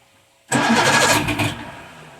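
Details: Evinrude 150 outboard, believed 1978, cold start on choke without throttle, out of water: quiet, then sudden rough burst as it catches, quickly fading; hard cold start, cause unknown.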